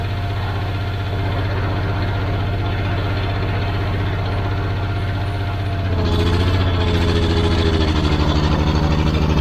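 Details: Old Caterpillar D6 dozer diesel, running healthy after fuel supply problem was found and fixed: steady, even low thrum that picks up smoothly and stays regular when revved, no knocks or misses.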